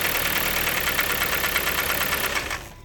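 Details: $500 project car after oil change, new coil pack and spark plugs still runs horribly: harsh, uneven running with a loose irregular knock about three per second over a raspy engine, then cuts off; replacement engine being sourced.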